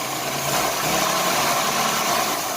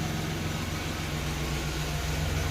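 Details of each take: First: 1990 Chevrolet Lumina Eurosport 3.1 V6, first start after sitting, with fresh gas and fuel treatment and a slight vacuum leak noted: an uneven, stumbling idle with loose exhaust puffs, a misfire that starts improving. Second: 1990 Chevrolet Lumina Euro 3.1 V6 after engine repairs, fresh fuel and fuel treatment: steady, even low hum with no stumbles, running on all six; idles well, oil pressure good.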